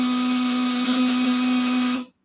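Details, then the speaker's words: Fish-shocker inverter at 24 V, probes dipped in water, output around 200 W: clean, steady mid-pitched hum with bright overtones until switched off; wet probes run smooth, dry ones rough and sparking. "Karena kalau setting di rumah saya sarankan celupkan stick ke air, nanti dia suaranya halus ya. Kalau nggak dicelupin ke air dia kasar, apinya besar."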